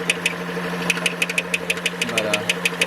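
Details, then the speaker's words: 2013 Dodge Journey 3.6L with 62TE six-speed transmission, sharp metallic clicks about three a second while running, heard around the transmission; a cracked flexplate with multiple cracks was flexing and knocking. "all right so you look in there you see the culprit a cracked flywheel flex blate um already rotated the engine and there's cracks on other locations so what's going on is it's flexing and causing a chat or knocking noise whatever you want"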